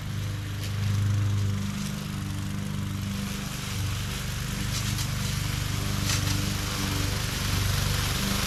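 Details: MTD 20-inch mower with Briggs and Stratton engine, previously hydrolocked with oil, test run after repair: steady single-cylinder drone with even beat, slight load swells while cutting but no surging or misfires; runs well.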